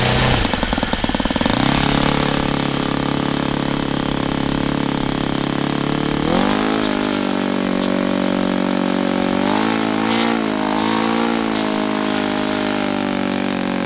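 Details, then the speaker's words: Saito FA-82a four-stroke model engine after spring replacement, earlier turning about 7,600-7,700 rpm: high steady buzz climbing in pitch to full throttle and holding smooth; normal running. "t's so clean and smooth, it's not even funny."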